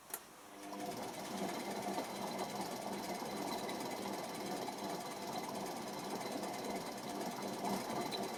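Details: Electra ELEC1647A3 washing machine motor failing, about 10 wash cycles after new carbon brushes: uneven gritty rattle with no steady rhythm; damaged commutator, needs new motor.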